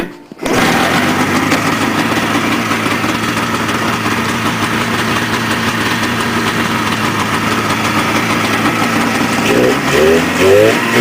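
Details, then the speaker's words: 1979 Polaris TX-C 340 two-stroke snowmobile, manually primed, engine filled with water again and drained: catches and settles into an even buzzy run with steady rhythm; running normally for now, owner expects a rod may fail. "so this year when I tried to fire it up the motor wasn't frozen again so we drained it out and it's still running somehow"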